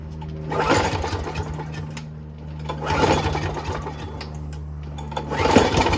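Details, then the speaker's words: Toro GTS snowblower, Briggs Quantum 6 hp, after spraying carb holes without removing bowl: repeated pull-start bursts catch briefly then die; no start, carburetor likely dirty and needs bowl off and cleaning. "okay i didn't think it would work but it was worth uh an experiment so it looks like now we're gonna have to take the bowl off and uh check it out"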